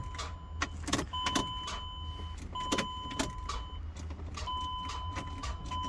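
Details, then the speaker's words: Chrysler Pacifica with fault P0706 (check shifter signal), intermittent no-start: sharp single starter clicks each key try, engine doesn't turn over, chime behind; fuses and relays checked OK, jump to engine doesn't help; cause not yet found. "And just normally starter makes click click click sound when you try to starting."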